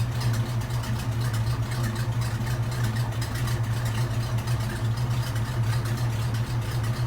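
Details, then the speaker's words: Old classic hearse right after its 50-mile break-in oil change (5 quarts with filter), with a fixed PCV hose and a custom Y exhaust: smooth, even low idle with a steady hum and no ticks, misses or hiss; quiet and healthy. "Sounds good. Quiet."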